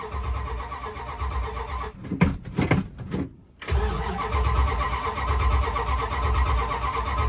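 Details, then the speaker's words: 440 big-block 1977/78 Dodge D200 crew cab, sat a week, dead battery, weak accelerator pump, bodged electric fuel pump: several bursts of cranking with stumbling catches, then a rough, low idle; stubborn cold start but it runs. "yeah still a little [Music] stubborn but it does start so that's something"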